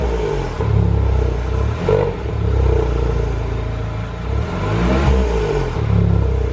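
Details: THP engine: revs up and down several times with a rough clatter riding on the note as it climbs; a strange engine noise, cause unclear.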